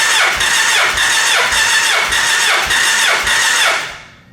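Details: Gen 1 Suzuki Hayabusa with an ignition miss, cranking compression test on cylinder 3, reading 172 psi, consistent with the other cylinders and well above the 128 psi service limit. Starter whirs with even surges about every 0.6 seconds; good, even compression.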